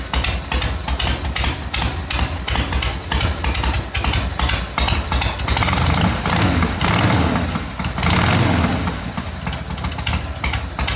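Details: 1980 Harley Ironhead after restoration work, first run heard since redone: big twin barks into life, settles into loping uneven-paced idle with a blip or two; normal start and idle.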